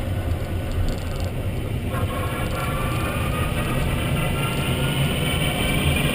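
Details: Renault Zoe Q210 electric car at 63,000 km, driving: faint whine climbing in pitch with road speed under rolling and road noise; drive motor noise, cause unclear.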